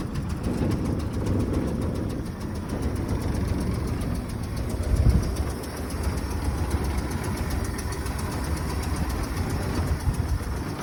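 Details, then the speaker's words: 1966 Chevy C-10 idling on a temporary one-gallon fuel jug under the hood, heard standing outside the truck: low, rumbly idle with a faint fast ticking on each firing pulse; small exhaust leak suspected, not confirmed. "Sounds like we're gonna have a little bit of an exhaust leak. You can hear it, everything else happening."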